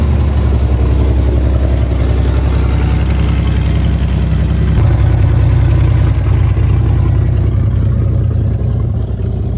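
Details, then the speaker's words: 1964 Chevrolet Corvair, first run on gasoline after knocking on starter fluid, exhaust missing: steady, even low rumble with smooth regular firing and no knocks or misses; normal idle, knocking gone. "so there it was running on gas for the first time again and the knocking did go away it sounded way better"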